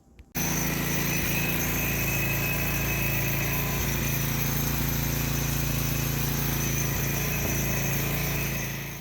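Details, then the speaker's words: Devilbiss Powerback 5,250-watt generator with Tecumseh engine, after a coil and carburetor change: engine speed was too high, so the throttle screw was turned counterclockwise. Now a steady, even drone with no hunting or surging; runs properly with 110 V output. "Just turned it counterclockwise, slowed the RPM down, dialed it straight in. Now everything's working fine."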